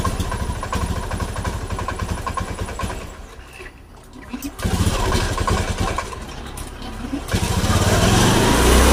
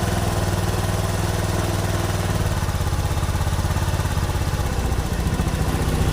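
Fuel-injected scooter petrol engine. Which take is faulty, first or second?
first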